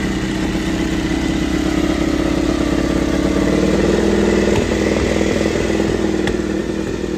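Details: Honda RC213V-S V4, freshly assembled with oil primed, first start: fast, lumpy but steady idle with even firing pulses and slight valve clatter; running healthy.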